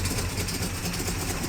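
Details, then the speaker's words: 1958 Plymouth barn find, first drive under its own power after 30 years sitting: smooth, even low V8 rumble with a steady beat and no knocks or misses; exhaust sounds good, normal idle. "wow wow listen to that exhaust man she's running good I cannot believe this"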